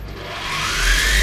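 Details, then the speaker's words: Optimum M2l CNC mill spindle switched on: it winds up with a loud rising gear whine over a heavy low hum, normal gear-driven running. The gears make the noise; the owner plans a toothed-belt drive to quiet it. "Wrzeciono jest naprawdę głośne. Nie wyobrażam sobie normalnie pracować w tym małym warsztacie, kiedy by było przez kilka godzin ten hałas."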